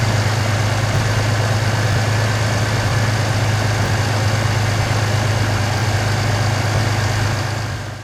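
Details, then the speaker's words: 1991 Chevy S10 Tahoe running after a new starter and a cap and rotor change, now running for about 5 days: steady, deep, even engine drone with no knocks, misses or squeals; runs healthy. "It runs great, so we're going to hook the camera up here and start this thing up, and that will be our closing video for this."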